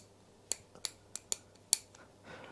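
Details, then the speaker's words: Indian-made motorcycle girder fork spindle, nut turned: five crisp metallic snaps in about 1.5 seconds as it jumps the poorly cut threads; nut could likely be pulled straight off; stripped threads. "actually make that jump threads you've got to be able to hear that go surely"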